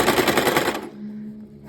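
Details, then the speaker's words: Sewing machine that jams whenever it stops with the needle up: rapid stitching clatter stops abruptly, leaving a steady low motor hum; the needle must be lowered by hand to restart, and the fault is getting more frequent. "ela faz um barulho no motor aí pr ela voltar funcional eu tenho que mexer aqui ó e descer a agulha"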